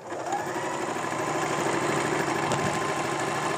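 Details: Singer sewing machine after cleaning dirt buildup and oiling: even, quick clatter at a steady pace with no catching, knocking or grinding; running smoothly.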